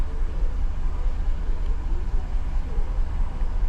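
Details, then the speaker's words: 2015 GMC Yukon 6.2 V8, misfiring after the customer refueled: deep idle with lumpy pulses, a stumble roughly every half second; scan tool shows cylinder 3 misfiring, code P0300 engine misfire detected. "Dice engine misfire detected. Dice el P0300."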